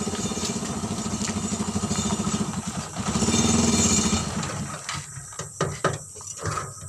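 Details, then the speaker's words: Suzuki Carry 1000 pickup running a Thunder 125 motorcycle engine for over a year, warming up: a quick, even single-cylinder putter around idle with a slight rise in revs, then it dies away; it sounds smooth and healthy. "Nah, bagaimana teman-teman? Suaranya lebih halus ya. Jadi masih suara motor teman-teman"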